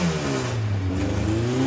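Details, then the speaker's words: 1641cc engine with Weber IDF carburetors, after rejetting from 200 to 165 air correctors with 115 main jets: it now pulls cleanly as revs climb, with an even rising note and no stumble or popping. Normal acceleration. "now now they're accelerating like it's like it should"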